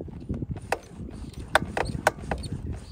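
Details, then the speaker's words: Brand-new 2023 Electric Motion Escape R trials bike, about a month old: sharp, uneven clunks as the suspension compresses and rebounds, hard to pinpoint, caused by three 8mm left-side battery bolts vibrating loose to hand tight. "notice it when the bike when the suspension suspension compresses and decompresses and you almost think it has something to do with the swing arms or the brakes it's a really hard sound to actually pinpoint where exactly it's coming from here's what it is these three battery bolts here become loose"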